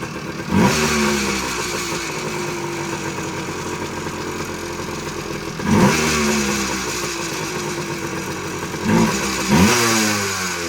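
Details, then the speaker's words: 1979 Suzuki PE250 two-stroke, warmed up, no air filter fitted, 40:1 premix (manual calls for 20:1), loud and smoky; crackly idle with three quick throttle blips rising and falling cleanly; normal idle and revs. "it sounds pretty good uh once I let it warm up it's able to idle on its own uh keeping in mind there's no air filter again so it's going to throw off the uh air fuel mixture a little bit uh but without it having a filter it's uh idling nice"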